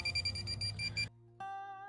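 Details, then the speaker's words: Minelab Pro-Find 40 pinpointer at maximum sensitivity in a dig hole: rapid chirping then continuous tone with no target, falsing everywhere; reduce sensitivity with the minus button to detune. "Everything is going off down here. It's really going off over there. But listen to it going off everywhere."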